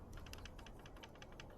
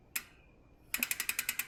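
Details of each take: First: 2024 YT Decoy e-mountain bike after 100 miles, shaken by hand: light irregular ticks and taps, a loose internal cable rattling inside the down tube near the battery despite bubble-wrap and zip-tie fix; loose internal cable rattle. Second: 2024 YT Decoy Core 4 e-mountain bike after 100 miles: crisp, evenly spaced rear hub ticks, roughly eight per second while freewheeling; normal low-engagement freehub pawl clicking, which owner dislikes.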